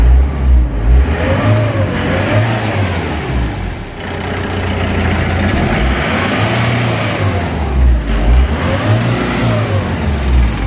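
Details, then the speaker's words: Mahindra Bolero pickup diesel that wouldn't start, fixed by clearing crank sensor wiring fault, replacing crank sensor and clearing fault codes; after start it picks up cleanly on each throttle blip and settles smoothly, no misfire; normal revving. "Okay friends ఇప్పుడు మనం బండి start చేయబోతున్నాం చూడండి friends బండి start అయిపోయింది"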